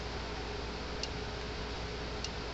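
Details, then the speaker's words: Gallagher M400 electric fence energizer after repair, tested with a Gallagher fault finder reading 8.3 kV as expected: sharp single clicks about every 1.2 seconds over a quiet hiss, an even, normal pulse throwing a hot spark. "we're getting 8.3 kv right where it's supposed to be now we'll put a see what kind of spark it throws nice hot shot coming from it"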